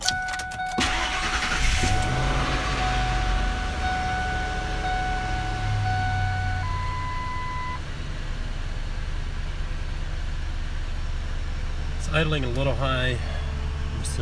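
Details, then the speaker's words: 2001 Ford F150 4.6 V8 just restarted after EGR repair for P0401 (intake plenum cleaned) and battery reconnect: quick catch, then smooth steady idle sitting slightly high, expected to drop after a few seconds; no misses or knocks. "that's gonna drop down after a few seconds here"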